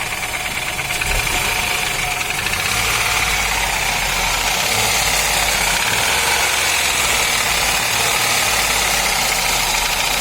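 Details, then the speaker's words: Ford Ka three-cylinder engine revved; busy clatter with hard uneven knocking rising with revs, traced on teardown to a heavily scored piston causing piston slap. "então vocês viram aí o barulho do motor do ford ka né"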